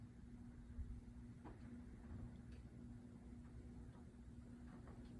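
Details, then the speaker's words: Rowe AMI 100-G Starlight Laserstar CD jukebox, amplifier previously repaired and reinstalled: constant low hum that doesn't change with the volume knob. Owner suspects old leaking capacitors, or a volume control stuck at full; unconfirmed. "it stays pretty constant meaning one of two things either the volume doesn't work the volume knob doesn't work and it's cranked all the way up or our capacitors are leaking cuz they're getting old"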